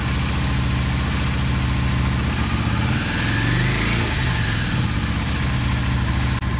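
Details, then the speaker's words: Yamaha V-Star 650 V-twin with Mikuni carbs, choke fully off: low uneven idle, then hesitation and stumble just off idle until it dies, a known issue from a particular jet plugged up by ethanol fuel. "right there it stumbles it dies and turn it on again idle's just fine right just coming off idle and it dies this is a known issue it has to do with a particular jet being plugged up"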